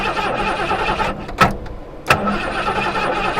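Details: 1973 Mustang Mach 1, first start attempt after sitting in a pasture 15+ years, checking plug wire spark with tester: starter spins engine at a steady uneven churn, no firing; cranks but won't start, no spark suspected.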